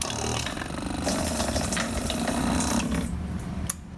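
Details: Yamaha Star 650 motorcycle, tank removed, fuel fed from a funnel of fresh gas: run switch turned on primes the fuel pump for a couple of seconds, a brief mechanical buzz with fuel splashing steadily into a can, then tapering off; pump primes and flows normally.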